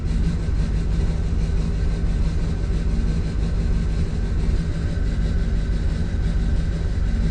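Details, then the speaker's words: 2007 Chevrolet Duramax diesel that blew white smoke and died, diagnosed for a fuel issue: steady low idle with an uneven, lumpy beat about once a second, one cylinder not firing though the check engine light is off; dead-cylinder misfire. "check engine light's not on even though it's not even hitting on one cylinder"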